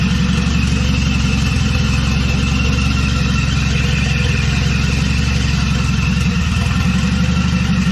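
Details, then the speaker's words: 200-dollar wagon, first start after installing a GMC Typhoon/Syclone turbocharger, oil primed by cranking first: starts easily, smooth even idle and clean revs with no ticks, knocks or rattles, running healthy. "starting starting really easily though okay that should be good so [Music] ah that sounds cool"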